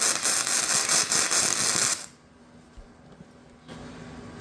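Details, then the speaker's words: VEVOR MIG 145 welder on quarter-inch steel at 145 amps and 22.5 volts: harsh, uneven crackle and popping, then stops; welder suspects the voltage is too high for this setup. "okay so that sounded really inconsistent I think we might have been running too high of voltage for this setup"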